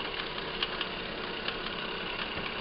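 Sharp metallic knocks tapping irregularly over a steady idle, clearly loud enough to hear; a heavy knock from inside the engine.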